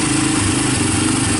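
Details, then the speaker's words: Honda TRX300EX single, formerly seized, running on PZ27 carburetor via adapter with starter on 12-volt jump pack; steady even putter, no knocks, misses or timing chain noise; normal idle. "yeah it sounds good no timing chain choices no dad's down so I think I think we're all good"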